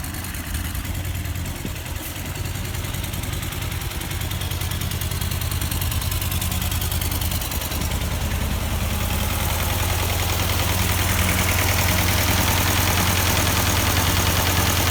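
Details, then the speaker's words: Partially restored Ford 8N tractor that hadn't run in years; a low chugging idle with an uneven, missing beat. Number four cylinder has no compression and an oily plug because its exhaust valve is stuck wide open. "we just took a compression check of number four cylinder here and no compression at all and the plug was oily a little bit so i looked down in there and you see the valves exhaust in the intake here the intake was moving the exhaust is wide open"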